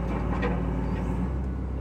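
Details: John Deere 2054D excavator, engine warmed up, after replacing the swing motor that leaked at the pinion shaft seal: steady low diesel rumble under a gentle swing, no grinding, knocking or whine; normal swing operation.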